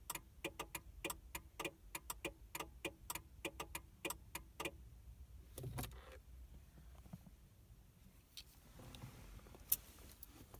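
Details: 2000 Mercury Cougar after battery replacement: rapid bursts of sharp interior clicks for a few seconds when the door opens or key turns, no crank, hazards apparently blinking; PATS immobilizer fault, fixed by relearning via the old key fob lock/unlock.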